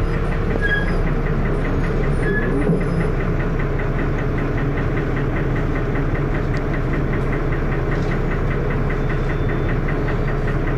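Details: First Manchester Dennis Arrow bus 31923 (P423PVW) diesel, recorded 2012: heavy rough thrash at idle with a loud repeating knock running under it; cause unknown.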